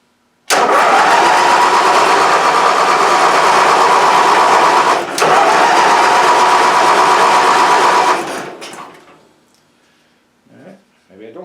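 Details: Stock-class pulling tractor stored about 10 years, its fuel system winterized with WD-40: it catches and runs at a fairly even beat for about seven seconds, stumbles, then dies, apparently starved of fuel; the fuel system will be redone.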